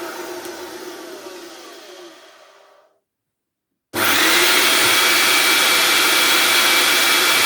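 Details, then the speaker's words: Hoover Turbopower 2 motor after oiling rough bearings, covers off so louder: winds down then restarts with loud steady high rush and faint whine, no surging; much smoother, sounds as it should. "So it's still very loud, but it does sound a hell of a lot more like a Turbopower 2 should sound."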